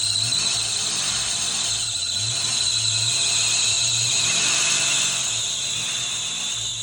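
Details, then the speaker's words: 1992 Ford Mustang GT Foxbody 5.0 V8, first cold start after sitting on old fuel; loud steady high squeal over a low pulsing idle, belt gliding over a seized pump pulley, owner thinks it may just be flattening the belt out. "Oh, the belt's just gliding over it. >> It's probably just flattening the belt out."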